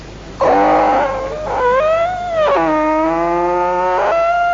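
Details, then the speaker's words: Bullock cart wheel turning: loud wavering squeal rising and falling with each revolution, because the axle has no oil or grease at all. "গরু গাড়িতে উঠার পর একটা সুন্দর শব্দ আসছিল সে গরু চাকা থেকে সেই চাকার শব্দটি আমি আপনাদের শোনাচ্ছি আগেই বলেছি চাক্কার মধ্যে তেল মবিল কিচ্ছু নাই এইজন্য শব্দটা এরকম হচ্ছিল আরকি"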